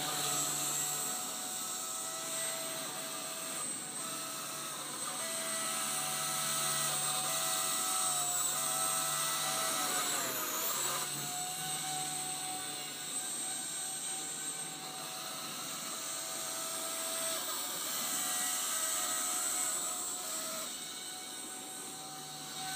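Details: Blade 130x RC helicopter: a high, thin electric whine with several steady tones that bend with main motor speed; abnormal noise, cause unidentified.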